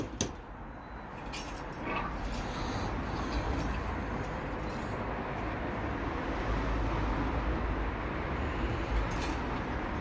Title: BMW Spun Bearings Rod Knock Conrod failure cylinder 1#bmwengine